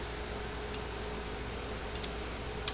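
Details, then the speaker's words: Gallagher M400 electric fence energizer after capacitor repair (dead capacitor stopped it powering up): sharp crisp ticks roughly once a second over quiet room hum; fencer pulsing normally. "this is just that capacitor i thought i guess it was totally dead that's why it wouldn't come on maybe it has a little bit of resi you know capacitance in it it will it will read something but um now that one's going just fine now"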